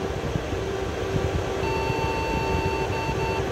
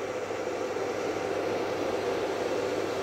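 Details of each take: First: Desktop PC before repair, power light on and yellow light blinking, no display: over steady fan hum, one long high beep of about two seconds at power-on. Suspected memory fault from carbon on the RAM contacts. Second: Desktop PC after cleaning dust-caused carbon off the RAM contacts and refitting one RAM stick: steady fan whir with no beeps, and the display now comes up. Fault fixed, normal boot.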